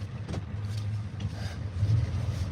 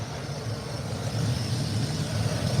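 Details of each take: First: Ford diesel running on a borrowed skid-steer battery, owner notes some air intrusion starting: low, steady rumble with an even beat and no knocks or misses; a smooth, healthy idle. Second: Ford diesel on its second engine: idle lumpy and hunting, slowly rising and falling. It smells of burning metal and runs rich. Owner suspects a sensor or the fuel pump; not confirmed.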